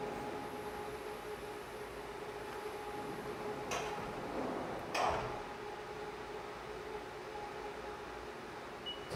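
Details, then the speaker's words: CNC milling cut during a tap-test demonstration: a steady ringing tone over a quiet machine hum. The cut is unstable, which is chatter, in contrast to a later stable cut. "Okay, so the cut we heard there was unstable. That was chatter."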